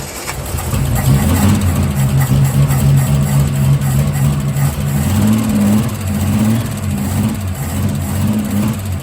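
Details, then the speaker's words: Holden Torana after manifold refit and carburettor fitting change: burbly lumpy idle with soft blips; flat spot on acceleration, launches then peters out running lean up top; owner plans timing adjustment and bigger jets. "So I just took it for a spin. It does have a bit of a flat spot. I need to adjust the timing, and I tell you what, it's opened this thing right up, but I think I need some bigger jets in it, because it's it launches and then sort of peters out, I guess."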